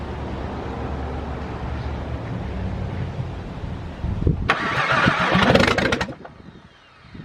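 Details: VW VR6 engine after a fuel pressure fix, return line off to check fuel flow back to the tank: the starter churns at a steady three-odd beats per second with a brief louder flurry near the end, but it never catches; cranks without starting.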